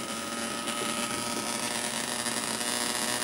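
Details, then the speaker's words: 555-timer Atari Punk Console on 9 V supply through PC speakers: steady electrical hum with thin buzzy edge, unchanging; weird buzzing as pulses pull apart at high setting. "I see I'm getting all that weird buzzing noise like you should be getting that when you turn it up to here cuz the pulses are getting pulled apart"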